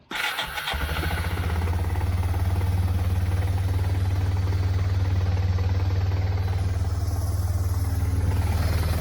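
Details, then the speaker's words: 1999 Yamaha Bear Tracker 250 after replacing the carburetor with an aftermarket one: brief crank, quick catch, then steady even single-cylinder idle, sounding much better than before, though slightly smoky; normal start and idle. "sounds good sounds a lot better than it did before let it warm up a minute"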